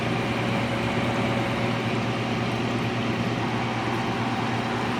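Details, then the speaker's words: Philco Noiseless 6800 BTU window air conditioner from the 60s or 70s on high fan: constant low compressor hum with a steady drone, no rattles or cut-outs, blowing ice cold. Normal compressor running. "either way i know the compressor's not bad now i know don't short cycle the compressor i just want to hear it run"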